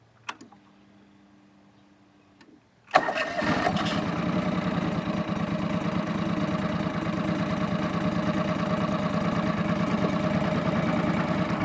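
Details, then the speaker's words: 2500-hour John Deere 445 lawn tractor, warm start on three-year-old gas: starter whirr, then it fires at once and settles into a steady, even idle with no misses and no exhaust smoke; lifters noted as slightly noisy; normal warm start and idle. "not a single trace of smoke out of that exhaust pipe fisting 2500 hours not burn oil"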